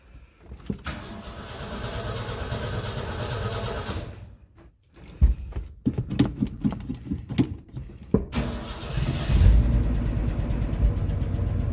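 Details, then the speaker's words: Ford truck after an oil pan leak fix, running 15W-40 diesel oil: it runs steadily, pauses, cranks in uneven pulses, then fires and holds a smooth, even low idle with no knocks or ticks. The motor sounds much healthier and quiet. "that sounds so much healthier sure wow no the motor is actually quiet sure"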